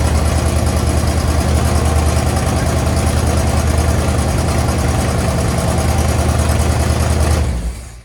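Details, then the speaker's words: 1963 Chevy Impala after carb gasket replacement, idle turned up slightly; steady, even low rumble with smooth firing beat, no knocks or misses, then shutoff; healthy idle. "i think right about four it does pretty well um it sounds pretty good"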